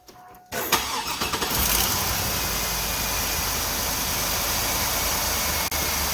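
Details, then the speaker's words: Engine started after repair work on the starter and alternator mounting, one bolt still to replace: brief crank, then steady, even running with no rhythmic rod knock underneath; sounds much better. "going to start it up let's see what she sounds like and then uh I need to find a different bolt for the one side of the starter alternator you hear that sounds much better sounds much better"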